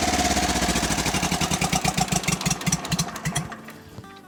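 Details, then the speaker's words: Kubota diesel: hard, fast clatter racing on its own and ignoring the throttle. It is a runaway burning the oil dumped into the intake and exhaust, expected to settle after running. "right cool so it's still running away but that's just because we dumped a bunch of oil in the intake and the exhaust if we run it for a little bit it'll probably settle down"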